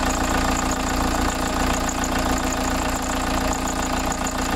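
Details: VW T3 van with TDI diesel swap, about 1000 km later, idling after oil and fuel filter change: steady, even diesel idle with the usual light clatter and no misses or knocks; normal diesel idle.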